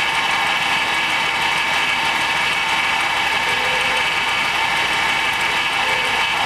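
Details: 2006 GMC with 5.3 V8, sitting about four years, no oil showing on rotted dipstick: steady rough run with dense clattery rattle and hissy top end from an exhaust leak; very rattly and clunky, cause not confirmed.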